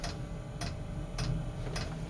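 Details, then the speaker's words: Eberspacher/Webasto-type diesel heater in a boat, switched on through a Nest thermostat: during start-up initialization the fuel pump ticks evenly just under twice a second over a soft steady hum before firing; normal. "you can hear the pump clicking on and starting and firing up and the unit going for its initialization process"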